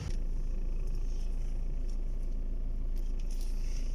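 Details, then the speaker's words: Skoda Octavia A5 steering, turned by hand after replacing the part that caused the noise when turning: steady low rumble with only faint background ticks and no rubbing or knocking; steering now quiet. "vamos a reemplazar ahí los resultados positivos ya no hay ruido"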